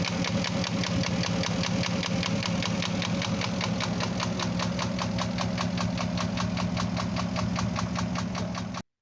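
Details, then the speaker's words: Porsche Cayenne Turbo first generation (955), V8: steady idle with sharp even tapping about 150 a minute; engine knock at idle, cylinder scoring suspected though owner says endoscope found none, timing/phase system also suspected. "Всем привет ребята Короче я повторюсь это у нас Porsche Cayenne Turbo первого поколения 955 кузов заехал к нам со стуком"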